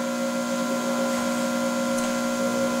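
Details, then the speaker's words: Universal battery charger RC-1AU charging a 12 Ah battery on setting seven or eight, around 12.9-13 V: steady, even mid-pitched electrical hum with no crackle or surging, quieter at lower settings; normal. "so again we can charge a 12 amp hour battery on settings seven or eight here and it will make a humming noise like this see as we go down you can hear less and less"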